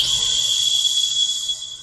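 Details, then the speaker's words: Outrunner motor from an AMK LCG SCX10 II crawler, powered on the bench with nothing attached: steady high-pitched electric whine, even note, no grinding or rattle; motor runs smoothly. "And hopefully, that's all I want to be able to hear. Motor runs smooth."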